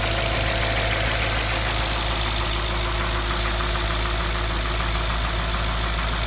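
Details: Audi S4 B6 engine at idle: loud busy idle with fast, uneven ticking about three per second over the hum; engine noise, cause not pinned down.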